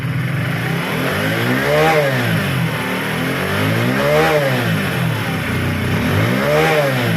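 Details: Hero HF Deluxe BS6 fuel-injected motorcycle after fuel pump replacement for a stalling problem; engine runs steadily and swells through three smooth revs about every two and a half seconds with no misses; healthy.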